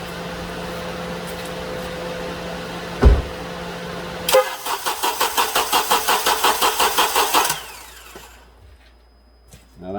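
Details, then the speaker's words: 2007 Honda Accord 2.4 four-cylinder cranking with injectors unplugged, cold battery that passed load test: laboured, slow, rough cranking, starter drawing about 175–200 A; slow crank from a worn starter, replaced. "cranks pretty slow it sounds pretty rough"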